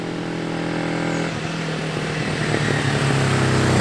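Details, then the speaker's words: Recommissioned 1973/74 Yamaha XS500 twin, very low miles, nearly 50 years old, after carb, fork and front brake work, riding: revs climb cleanly and smoothly under load, even exhaust note, no misses or knocks; running normally. "i think you'll see for a 500 there's nearly 50 years old it absolutely flies and sounds fantastic so listen to this"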